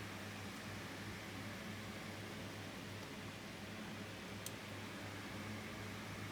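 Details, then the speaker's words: 2000s Tesco DF96 9-inch desk fan, bought used, on its highest speed with oscillation on: a steady whoosh with an occasional faint sharp click as the head swings back one way. The fan is still usable; clicking when oscillating. "I got the DF96 from eBay, it's had this thing of clicking when it oscillates back this way. There it was, I heard it there."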